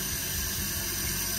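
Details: Newly installed Fluidmaster 400A universal fill valve: steady hiss and rush of water filling the toilet tank with no sputter or chatter; refilling normally.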